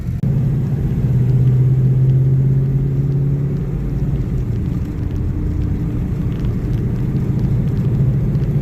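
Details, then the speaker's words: LS7 Pontiac Firehawk on first drive after Rev Motorsports fixed the rear end (differential) issue, ECU relearning: even low rumble under way, cabin noise massively reduced, no whine or clunk from the rear; differential now quiet and normal. "So, the first thing I noticed is the noise level in this car is massively reduced. Uh, Rev Motorsports has fixed the rear end issue in this car. It is no longer an issue. This car sounds like a normal car again."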